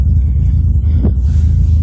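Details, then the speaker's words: BMW E36 leaking oil for about 3,000 miles: low lumpy wavering idle, engine struggling to hold idle; vacuum leak. "now we're gonna investigate the weird engine noise suspected this would be the case as it's been leaking oil for about 3,000 miles now"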